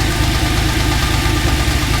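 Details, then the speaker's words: TVR Tuscan engine after throttle body balancing, at idle: light, rapid tapping in time with the engine, sounding top-end and in the middle of the engine; cause unconfirmed, owner expects head removal. "there's something not quite right and it definitely sounds like it's in the middle."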